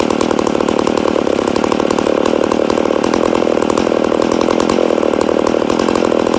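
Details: Rebuilt McCulloch Super Pro 80 chainsaw, first start after rebuild: runs fast and steady with a buzzy, slightly lean tone; owner suspects a slight air leak, probably a crank seal.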